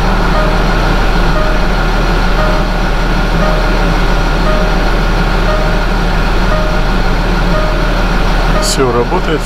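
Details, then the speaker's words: 2011 Land Rover Discovery 4 diesel after fuel filter replacement and priming by cycling ignition: catches and holds steady even idle with no stumbling or hunting; no air in fuel system. "нормально завоздушивания системы нету никакой"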